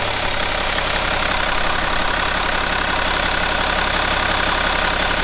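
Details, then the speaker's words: BMW E61 530d, M57N 235 hp diesel, 232,000 km, cold start and idle after repairing a failed timing chain: steady, even diesel idle with no ticking, rattling or knocking; sounds healthy. "I don't I don't care any parasitic sounds for anything like this Everything feels fine"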